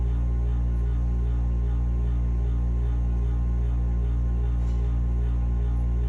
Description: Furnace humming / grinding sound. Capacitorr tests OK.